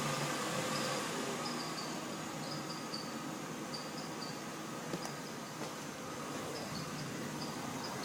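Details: Mercedes-Benz at morning cold start, squeak that disappears after about 10 minutes: a sharp high chirp repeats about four times a second over the idle; a weak belt tensioner pulley or idler pulley is suspected, not confirmed.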